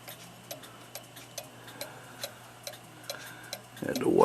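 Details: Regula 25 cuckoo clock movement after cleaning and rebushing, test running without bellows: crisp, even ticks a little over two per second, steady beat, nothing dragging; movement running healthy.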